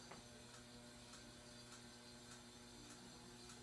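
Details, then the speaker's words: 42-inch hugger ceiling fan, about 10 years old, on low speed: quiet hum with a faint light tick about every 0.6 seconds, once per turn; bearing noise and buzzing, something scraping as it spins, cause unknown. "his fan does have a lot of bearing noise too and it buzzes a lot yeah it does really scrape against something but I don't know what it is"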